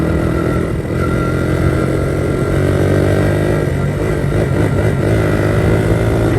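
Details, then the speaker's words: 1982 Honda XR80 fitted with an XR100 engine, restored after a leaking tank and a tank sealer that nearly ruined the engine. It starts right up into a steady, even single-cylinder drone with no knocks, ticks or misses. Normal running, "runs like a top". "oh well let's see if it starts up sucker starts right up"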